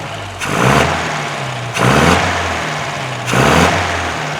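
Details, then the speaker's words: 1952 MG TD after the twin carbs were leaned slightly (two flats each) from a bit rich. Three quick throttle blips that rise cleanly and drop to a steady idle without the earlier stumble; revs freely. "so it was checking just a tad rich and I leaned it up just a little bit like two Flats each one it was it is revving a little bit better now"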